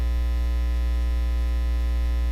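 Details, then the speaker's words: Ground loop hum in a studio monitor setup with a USB-powered audio interface: a constant, level low mains hum with a buzzy edge, unchanging throughout, pointing to a ground loop between the monitors. "ground loops are quite common in audio setups it's a major cause of noise hum and interference it can sound like this or this"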